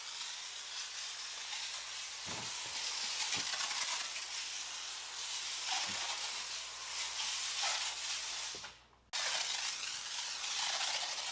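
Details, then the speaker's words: IK Foam Pro 12 pump sprayer laying pre-rinse foam in a garage wash bay with a very wide spray. A steady hiss keeps dropping out in brief skips every second or two; it sputters from too little air pressure. "that's pretty good pretty good foam for a pre-rinse right it does have a few skips you can hear it sputtering"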